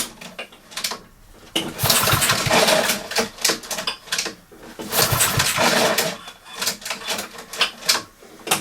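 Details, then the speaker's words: Honda mower with a broken OPC cable, pulled over by recoil after the breather recirculation pipe was refitted and cleared of muck: even whooshing compression strokes with no popping or snapping, the strange noise gone; normal pull-over sound. "oh the noise is gone so that's that mystery solved"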